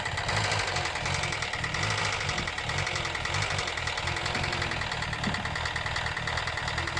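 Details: 2012 Hyundai Elantra engine that also stalls: steady idle with rough dense knocking throughout, origin unknown; engine knock.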